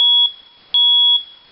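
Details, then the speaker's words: Battery-powered smoke detector test button pressed after fitting a new 10-year lithium battery: two loud piercing high-pitched beeps, about half a second each; alarm sounds correctly on test. "And then there's also a test button here. And so let's go ahead and try that."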